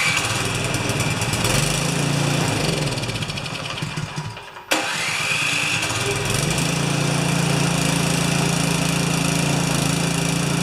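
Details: Craftsman 24-inch 9 HP snowblower that wouldn't run, under repair with temporary wiring of the coil kill lead: engine sags and nearly stalls, catches again with a quick rise in revs, then settles into an even, steady beat; now running normally.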